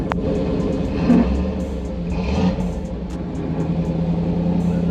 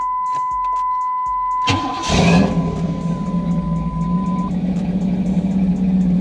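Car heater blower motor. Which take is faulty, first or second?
first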